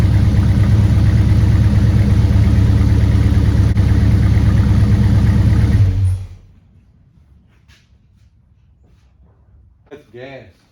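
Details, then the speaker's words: 1969 Super Bee 440 Six Pack V8 warming up with very little fuel in the tank: deep, lumpy idle, steady throb about three pulses a second before shutdown; smoke judged rich running, not oil smoke (cause suspected, unconfirmed). "that smoke sounds really rich no it's not the oil smoke at all"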